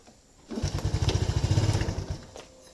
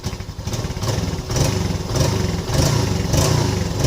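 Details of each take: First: Yamaha Lagenda 115 FI motorcycle, hard starting: the engine catches, chugs briefly, then dies within two seconds and won't hold an idle. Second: Yamaha Lagenda 115 FI single-cylinder motorcycle, cold, after adjustment of its hard-starting, stalling, no-idle fault: blips through a few rhythmic surges, then settles into a steady, even idle.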